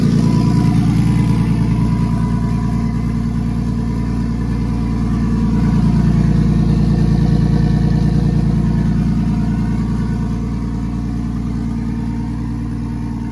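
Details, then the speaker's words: BMW M52B28 turbo swap in an E46, first cold start after tune upload, makeshift exhaust pipe, fan not coming on: deep steady smooth idle with even low rumble and audible turbo; runs healthy. "And she purrs like a freaking kitten, baby. Listen to that turbo."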